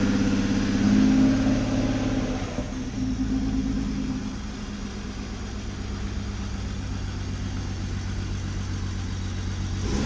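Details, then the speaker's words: Toyota MKV Supra, inline six, first start just after engine rebuild: uneven loping idle with a stumble about four times a second, a misfire still to be diagnosed; no smoke; later runs quiet and smooth. "I gotta figure out your misfire."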